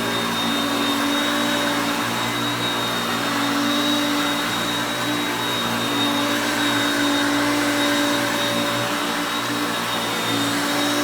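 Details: Hoover Concepts self-propelled upright vacuum on carpet. Constant, smooth motor roar with a steady high whine, no rattles or surging; normal running.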